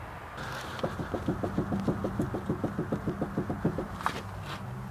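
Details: 2001 Nissan Maxima, front raised, wheel rocked by hand at 3 and 9 o'clock: rapid hollow clunks about three a second from lots of play in a worn outer tie rod end.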